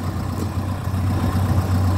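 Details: 1997 Ford Escort 55 D diesel van, warm: steady, even low diesel clatter holding smoothly with no knocks or misses; a healthy diesel idle.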